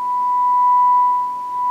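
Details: Sony Air 7 airband receiver, repaired after receiving nothing and partly reassembled, puts out a steady, clean single-pitch test tone at even volume with no crackle or dropouts; audio output working.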